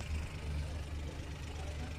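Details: 2014 Suzuki Every three-cylinder after repair of a P0301 cylinder 1 misfire caused by a leaking valve seal: steady, even low hum at idle with no stumbles; smooth idle with no code returning.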